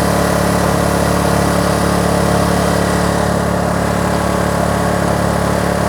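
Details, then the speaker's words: Kraft&Dele KD681 3000 W inverter generator under 1 kW load: steady, even drone with no dip or strain, output 232 V, and the unit doesn't feel the load; normal running under load. "і так 1 кВт навантаження взагалі не відчуває на виході 232 в"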